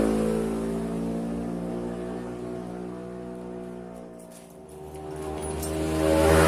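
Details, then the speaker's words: Honda Scoopy eSP bored up to 130cc, engine internals modified, throttle body fitted, after build: small single revs smoothly, drops back, picks up evenly, no knocks or rattles; normal running. "Nah, ini kita langsung coba starter aja ya guys. Dan bisa dilihat sendiri starternya pun enteng."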